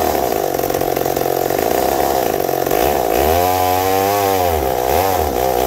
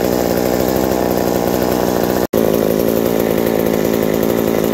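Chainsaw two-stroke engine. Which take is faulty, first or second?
first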